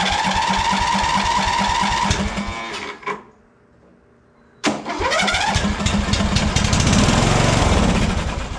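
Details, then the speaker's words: Free Simplicity riding lawn tractor, just fired on ether while testing spark, before fuel filter replacement. The small single runs steady, cuts out for about a second, then catches again and settles smoothly. Engine starts and runs. "okay success she will run"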